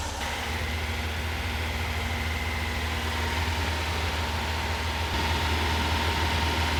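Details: Porsche 912 flat-four engine fitted in a 911, rebuilt from a failed project, first start with ignition timing dialed back from about 38 to 31–32 degrees: steady, even idle slightly above normal, smooth low drumming, no misses or knocks.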